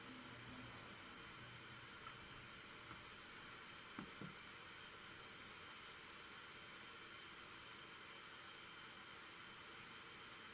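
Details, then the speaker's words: Asus Strix laptop, i7 7th gen CPU with GTX 1060, under CPU stress test while graphics driver installs, CPU at 100% and up to 85°C, about 93 W at the wall; steady even fan rush, no rattle; normal fan noise under full load. "Okay, that's the graphics driver being installed. The fans have kicked in some more."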